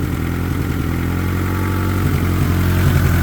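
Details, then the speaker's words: Honda EK with old stale gas, fuel pressure only about 28–38 and unchanged with regulator disconnected: low, uneven loping idle that stumbles; likely fuel-starved; rough idle. "Won't go any higher than that and it's not very happy."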